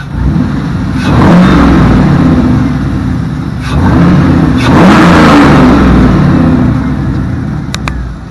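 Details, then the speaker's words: LS-swapped Jeep Cherokee V8 revved by reaching for the gas pedal: loud, throaty engine rises and falls smoothly through several throttle blips, no knocks or misses, pretty noisy; healthy engine revving freely. "it's it's pretty noisy I'm sure it's pissing off the neighbors that's what we want to do though right"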